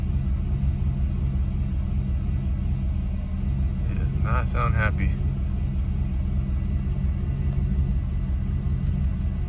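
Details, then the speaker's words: Mercedes W124 E420 M119 V8 first start after power steering reservoir seal and hose repair: deep, uneven lumpy rumble at idle with irregular beat, sounding worse than before; rough running, cause not yet known. "that does not sound promising sounds worse to be honest oh God"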